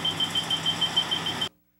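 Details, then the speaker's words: AC hot stick voltage detector with its operating switch on high sensitivity: fast, even high-pitched beeping of about six or seven per second, then silence, signalling live AC voltage nearby without any contact. "when using the ac hot stick start by turning the operating switch to the high sensitivity setting you'll hear a series of beeps and see th"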